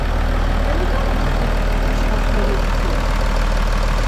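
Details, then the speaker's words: Engine finally running again with no leaks: steady even low idle, no knocks, misses or rattles over about four seconds; normal healthy idle. "chodzi ten motor tak Chodź wreszcie wreszcie on jakoś pracuje i działa Nie ma wycieków nie ma niczego"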